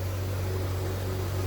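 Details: 1998 C5 Corvette back in the garage with the Sac City Coolit V2 fan controller removed after it never switched the fans on and the car nearly overheated; temp 196: steady, even fan rush over a low hum, both radiator fans running normally.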